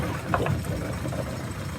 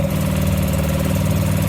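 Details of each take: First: Small dinghy outboard motor after repair and a slight idle-speed adjustment: low, even putter holding steady at idle without stumbling. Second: Sailboat dinghy outboard motor at full throttle in gear, carburetor already replaced: steady low drone with revs hanging well below normal, not enough power.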